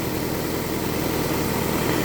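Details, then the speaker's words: 1998 Toyota Camry after replacing the worn crank timing pulley (keyway clearanced) that caused the rattle: steady, even idle with no rattle or chirp from the belt area, just ordinary engine noise. Normal idle. "I don't either. It sounds like regular engine stuff now."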